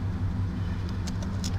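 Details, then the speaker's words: Dodge 5.2/5.9 V8 truck with 248,888 miles idling, running strong: steady, even low rumble with no misses or knocks; runs perfect and smooth. "picked up a set of heads and uh say that thing runs perfect smooth I mean"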